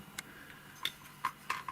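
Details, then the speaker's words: Podolsk hand-crank sewing machine with a noisy, knocking manual drive: sharp, uneven metallic clicks about two or three a second as the crank turns. An under-machined metal part catches the gear teeth, a factory defect that needs filing down. "Значит нужно вот эту часть подпилить металла так как она цепляется Цепляет за зубы за зубчики это заводской брак"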